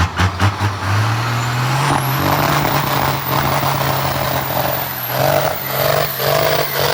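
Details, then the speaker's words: Stick-shift 12-valve diesel pickup in second gear doing a burnout: heavy roar under hard load rising in pitch, with uneven pops near the end; owners suspect it runs out of fuel pressure and goes lean, unconfirmed. "it makes some noises it sounds like it runs out of fuel pressure it does sound like a pop pop yeah I don't think it's getting enough fuel it's like it's uh it gets lean"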